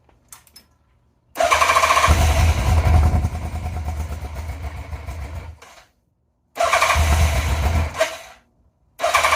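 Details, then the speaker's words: 1987 Yamaha FZR 1000 Genesis after freeing stuck throttle cables that held throttle plates open and tightening battery leads: two long uneven cranking bursts, no catch; owner suspects the missing airbox lid. Cause suspected, not confirmed. "So I am missing a lead for my airbox, and I'm pretty sure that's probably what is messing with it right now, but let me give it a shot."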